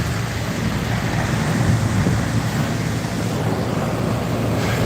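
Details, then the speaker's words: AC condenser after replacing the condenser fan motor: steady rush of fan air over an even low compressor hum, no knocks or rattles; compressor sounded harsher before, calmed down with new fan running: normal operation. "like that's how it was sounding earlier but I guess with the fan motor now running it calmed down a little bit and that's exactly what you want"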